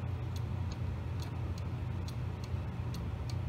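Crisp, even tick-tock, roughly two beats a second with a steady rhythm, over a low background hum; the movement sounds healthy.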